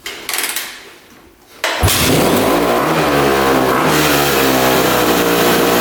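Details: Rebuilt 2006 Honda CRF250R, apparently the first start since the rebuild after clearing a clogged carb line and adjusting the throttle screw: catches after a few kicks, crisp even single-cylinder beat, revs cleanly without stumbling; sounds healthy.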